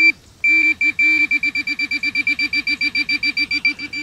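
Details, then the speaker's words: Minelab Pro-Find 40 pinpointer: about two dozen short, high, evenly spaced beeps as the plus key is pressed repeatedly, confirming each sensitivity step up to maximum. "now I'm going to match the plus key and hold it down and listen for the beep yeah all right and I'm also now I'm going to step up in the sensitivity by repetitively pushing the plus key"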